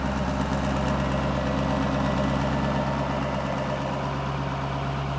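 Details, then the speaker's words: 1000hp LBZ Duramax V8 diesel for a Camaro, fresh build at first startup: deep, even diesel rumble with a steady beat, shaking the ground, and no knocks, ticks or rattles. Healthy idle. "Oh yeah, she's coughing. Woo! That sounds crispy. Ooh, feel it in the ground? Feel the ground? Yeah. Yeah, you can feel the ground shaking."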